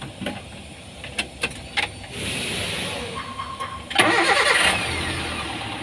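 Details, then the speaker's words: Espass Zebra engine after adjusting the distributor setting to fix overheating and power loss: a few clicks, brief crank, then it catches cleanly and runs smoothly and evenly; temperature now normal, radiator water circulation good. "masih halus suhunya normal jadi yang suhunya naik coba dulu disetel kecuali memang ininya mampet"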